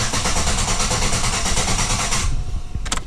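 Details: 2008 Chevrolet Impala LT 3.5L (3500) V6 after timing cover oil leak repair and water pump replacement: steady, even cranking for about two seconds without firing, then stops; normal cranking to build oil pressure before first start.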